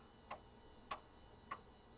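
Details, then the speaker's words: Compaq Deskpro floppy drive formatting a system disk (format A: /S); sharp, evenly spaced clicks about every 0.6 seconds in a quiet room, loud but ordinary head stepping, drive working. "That drive is so noisy. You guys hear that? Probably the loudest floppy drive I own. But it works."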